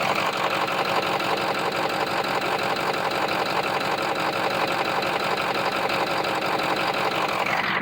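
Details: Ford 6.0 diesel pickup at idle, engine bay mic on the side away from cylinder 3: even steady clatter without the sharp clicking heard on the cylinder 3 side; this bank sounds healthy, owner suspects injector or harness (P0269).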